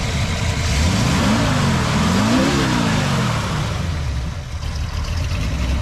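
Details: 1966 Mustang 289 V8 after timing cover gasket, water pump and oil pan replacement, 2.25" Purple Hornies exhaust: blips up smoothly, drops back to steady burbling idle, deep even note, no misses or knocks, sounds healthy.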